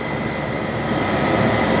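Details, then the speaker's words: AC condenser compressor running after an ICM 870 soft starter install, 45/5 run capacitor, drawing about 16 A: a steady, even hum with a light hiss and no rattles, quieting as it runs; normal operation. "Alright, so now you can hear the compressor a little bit, and it gets quieter obviously as it's running."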